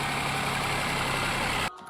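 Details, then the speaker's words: Ford Ka 1.0 three-cylinder: busy idle with light metallic clatter, then shut off; loose intake VVT cam pulley with play, rattling on start and constantly when hot as oil thins; engine doesn't need rebuilding. "E aí ela mostra o defeito. Isso é um defeito, tá gente? Da polia. Nesse caso aqui, a polia de admissão."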